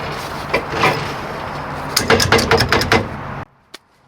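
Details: 2004 Mercury Grand Marquis, brake components removed: rough, uneven knocking and scraping as the rear hub is turned by hand, from a worn wheel bearing, possibly with a bad axle; ABS light had come on.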